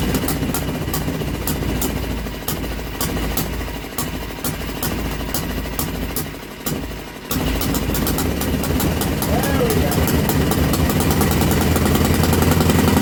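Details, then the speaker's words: Old Villiers single-cylinder engine on a bench, on choke, drill-started: sharp regular firing around 220 beats a minute, settling into a steady run; kill switch didn't stop it due to painted-over contact. "the kill switch on the back of the engine didn't turn the damn thing off and she's starting to shake everything off the bench"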